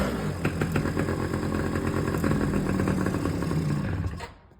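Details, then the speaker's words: Jeep mini quad's small engine just started; it idles better with choke and worse once the choke is off. A light, uneven tick a few times a second rides over the idle. The source is unknown, and a new spark plug is suspected. "So, it's starting now. There's just this little tick that we don't know what it is. And it's idling better now."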